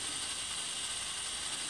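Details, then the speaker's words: Telechron clock motor from a 1951 GE clock radio, powered at about 100 volts, microphone close. A soft, steady high whir with a faint gear-train tick; it runs normally, though it still needs repair and lubrication. "So, it fixes it running. I hear it turning. The second hand is moving moving."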